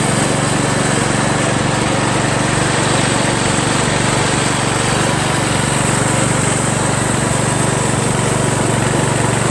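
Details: Craftsman LT1000 lawn tractor after new drive belt install (owner unsure it's the right belt), first test drive around the block: steady even single-cylinder drone at constant pace, a bit loud, no misses; running normally under load.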